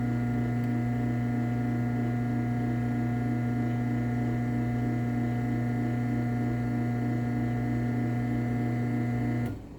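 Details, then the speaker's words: LiftMaster 8365W-267 Wi-Fi garage door opener (May 2019, dumpster find) running down: smooth steady motor drone and even chain whir, clean stop, fairly quiet; runs normally. "all right we'll go ahead and run the 8365w um this one actually isn't too loud run it down"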